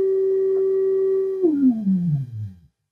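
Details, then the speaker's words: Hallicrafters S-76 receiver during BFO alignment, with signal injected at L7 pin 1: a beat tone slides down in pitch to a low growl and vanishes at zero beat as the BFO is turned counterclockwise, centered on 50 kHz. "the bfo we're going to turn this you hear the noise the the oscillator getting there or the petrine getting lower so you probably can't hear that it's growling very low now it's gone completely"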